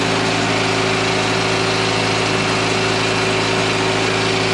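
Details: Cable reel machine engine that would not start on a low battery despite jumping and a starter change, running after a battery swap: steady, even mid-pitched drone with no misses or knocks; normal running.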